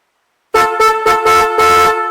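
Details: 1964 Pontiac reusing OEM junction box, horns newly wired through a relay switching the earth wire, tested via horn button: five short, strong blasts from a pair of horns, clean steady tone each time; horns working properly.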